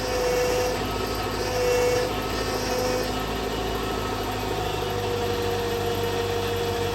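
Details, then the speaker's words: 2000 Honda Prelude after power steering fluid change with Bars Leak: steady thin squeal over idle, dropping in and out; power steering pump squeal, treatment helped slightly but pump and high-pressure line are worn out. "try to stop this power steering from squealing so much now it did help a little bit but unfortunately power steering is the pump is done and so is the high pressure line"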